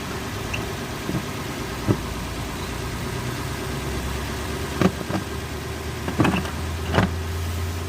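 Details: Lexus 430 after replacing a bad starter motor with a used one, fixing a no-crank: low, even idle hum holding steady with a few stray clicks; engine starts and runs fine.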